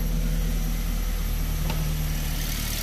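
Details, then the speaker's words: Perodua engine, Toyota-like, after diagnosing and fixing a front-engine grinding noise: steady, even idle with smooth low hum, no grinding or rubbing; now quiet and healthy. "yun, wala na mga katropa, tahimik na siya."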